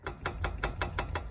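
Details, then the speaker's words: 2007 BMW E86 Z4 3.0si Coupé with newly fitted Scorpion Red Power exhaust: seven quick hollow metallic taps as the pipe is rocked, striking the body; hanger clearance too tight. "that's hitting and that's not good that's not cool"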